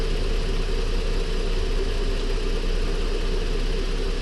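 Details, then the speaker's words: Ford Flex 3.5 at warm idle after water pump and timing component replacement for oil leak, coolant loss and P0016, run near an hour: even steady hum, no ticking or rattle, no leaks, no codes. "But so far so good. It sounds good. No codes popped up."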